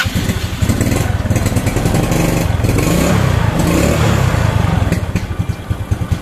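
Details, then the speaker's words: Yamaha Mio scooter that was hard to start, as if the carburettor flooded, after lubricating, cutting the spring and reassembling: catches quickly and settles into a steady, even idle thump, now running normally. "Sekarang berjalan lancar dan normal, tidak seperti sebelumnya."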